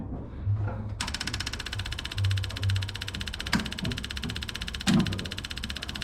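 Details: M718A1 ambulance Jeep cranked on two hot batteries after a month apart, diesel in the petrol tank: starter grinds at a steady buzzy rate with a few dull thumps but never catches; no start.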